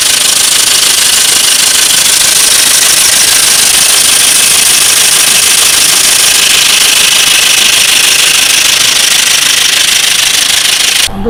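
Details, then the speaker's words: Petrol engine idling with oil level confirmed full: fast, dry ticking from the top end; suspected worn hydraulic lash adjusters (tappets) in the head, and the engine is later removed to open the camshafts and check the lash, chain and hydraulic tensioner. "मैं पहले इस गाड़ी को स्टार्ट कर देता हूँ और इसकी जो नॉइज़ मुझे सस्पेक्ट है कि इसकी लैश से आवाज़ आ रहा है। इंजन का जो हेड में लैश रहता है वो लैश से आवाज़ होने की बिल्कुल चांस है।"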